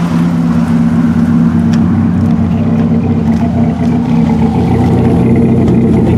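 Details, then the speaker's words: 2002 GMC Sonoma 2.2 with codes P0300 and P0172, heard at the tailpipe at idle: low rumble with an uneven, stumbling beat and irregular puffs instead of a smooth pulse, an engine misfire. "today I have this Sonoma 2002 GMC Sonoma, and you hear the engine is misfiring. Go to the tailpipe."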